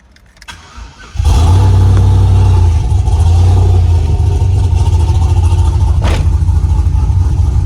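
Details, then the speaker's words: Silverado pickup with new battery, slow to crank and hard starting: quiet for a second, then the engine catches abruptly into a steady low rumble; fuel pump suspected, cause not confirmed. "so we recently just started doing this where you got to crank it over and it doesn't want to crank over"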